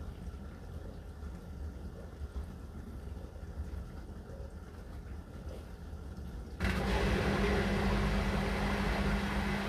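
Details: Hotpoint NSWR843C washing machine on final 1200rpm spin: quiet running, then the drum jumps to full spin with a loud, harsh rattling roar over a steady hum; owner unsure whether the load is balanced, cause not confirmed.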